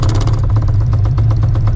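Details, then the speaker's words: Cammed, Procharged 5.4L 2V New Edge Mustang GT, about 600 hp, at low idle: a rapid, steady knock several times a second. A loose part is jackhammering against a nearby component and was identified as the cause of the problem. "This is what the fuck is causing the problem right here. This is it right here. Because look, it's like jackhammering that piece right there."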